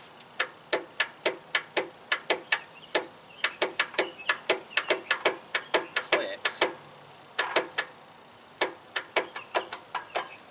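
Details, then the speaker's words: Circa-1991 Craftsman riding mower, key start with battery plus jump box after cleaning terminals: sharp dry clicks in uneven bursts, about three a second, no cranking; starter connector broken, starter toast. "Uhoh. I think we got a messed up starter."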